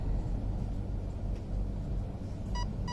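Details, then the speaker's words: Arc 1 RC speed controller in program mode: two short clean beeps over faint hum, signalling the second setup layer, endpoint adjustment (neutral, maximum forward, maximum reverse). "Now I want to go to the second layer to do the endpoint adjustment. So wait for it. First layer, second layer,"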